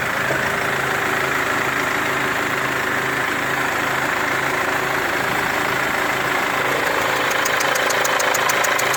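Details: Mercedes W204 diesel with leaking injector showing burnt-on diesel residue; idle with hard fast ticking near four per second and thin whistle near the injector; leaking injector ticking and whistling.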